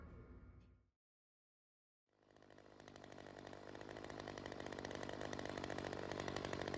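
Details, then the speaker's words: Ryobi CS30 two-stroke trimmer after teardown, with a new carburettor adjuster fitted: fires after a pause and climbs to a high, buzzy, uneven rev. It still runs lean from an intake air leak, suspected to be the homemade gasket. "still has that air leak and I am probably going to guess it has something to do with that little homemade gasket"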